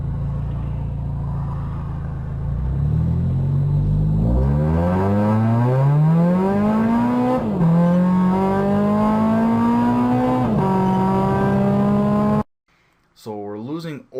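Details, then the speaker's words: Toyota GR86/BRZ/FRS-type car with E9 tune running 12.5s: revs climb slowly before the car really pulls, then lazy upshifts; transmission slow to engage, about 1.2–1.3 seconds on 1–2 shift, cause unconfirmed. "The transmission's not really engaged yet, and you can hear it. And then it engages, and then it starts making another run, and that's about 1.2 to 1.3 seconds."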